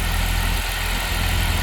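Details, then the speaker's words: 2015 Jeep Wrangler JK 3.6 after replacing the faulty idler pulley (new belt and tensioner had not cured it): smooth, steady low idle, loud belt-drive whine gone; accessory drive healthy. "let's start it up and see how it sounds real nice the wine is gone"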